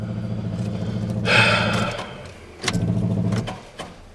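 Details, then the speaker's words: Pickup truck with the fuel pump relocated into the engine bay: uneven cranking churn, a sudden rough surge, then clunky stop-start bursts instead of a clean catch. Others called it normal, but the owner disagrees. "but they all said it's fine, and the noise is normal, which it's clearly not."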